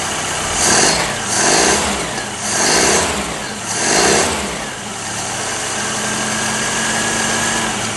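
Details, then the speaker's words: Whitby Morrison ice cream van, first start after an engine change: a few throttle blips rise and fall cleanly, then it settles to a smooth, steady idle without misfires or knocking; sounds like a modern engine. "Oh, that's lovely. Isn't that lovely? That's lovely. Sounds like a modern engine."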